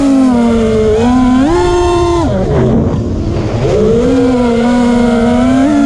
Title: finally got to fly dys samjuk motors making weard buzzing sound